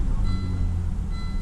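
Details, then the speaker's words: 1998 Volvo V70 T5 at about 514,518 miles idling for 15 minutes with Liquid Moly engine flush mixed into the oil; low steady rumble at an even idle with no ticking, knocking, stumble or unusual noises. "And as you can hear, the engine's not making any unusual noises whatsoever."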